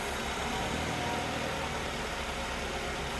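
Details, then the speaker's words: 2003 Mazda Protege5, not run for about 4 years, no-crank traced toward the neutral safety switch, running after jumping the starter at the starter though it won't start from the ignition switch: steady even idle, soft low thrum, no knocks or misses. "I don't really know why or how, but all I did was jump the starter down at the starter and it is running."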